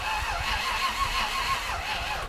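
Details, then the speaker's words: Land Rover Discovery 1 V8 on a weak battery: a brisk, wavering whirr of cranking for about two seconds with no clicking. The starter had quit the day before, suspected from a loose negative terminal; the engine still won't run. Normal starter cranking. "all right yeah I suspect yesterday afternoon it stopped cranking because the negative terminal came loose"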